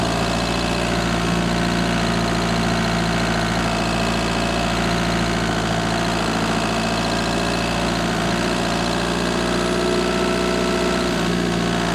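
Steady diesel idle with a light, fast tick riding over the low rumble; the ticking's source can't be pinned down by ear. Cause suspected, not confirmed.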